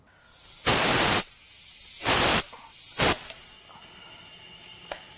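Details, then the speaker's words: Nissan VQ40DE 4.0 from a 2010 Xterra, 203K miles, engine off during a leakdown test with the intake valves verified closed. Bursts of loud air hiss fading to a faint steady leak: air escaping past the exhaust valve. "okay exhaust valve I can hear it so let's uh Buzz this exhaust manifold off see if we can figure out why"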